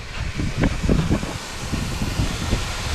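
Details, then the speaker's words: 1999 Ford F-550 stranded in hot weather, fuel system pressurized: steady rushing hiss with uneven low splashing, as fuel gushes out of the top of the fuel filter bowl. "cuz it is gushing out of there and it's coming out of the top of the fuel bowl"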